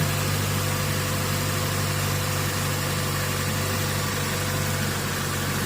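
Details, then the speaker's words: 2012 Chevy Cruze petrol engine idling poorly with a steady low hum and constant airy hiss from a vacuum leak through a failed valve cover diaphragm, with long-term fuel trim at 35 and related codes. "you'll hear like a little hissing noise but though all those codes are related to that vacuum leak"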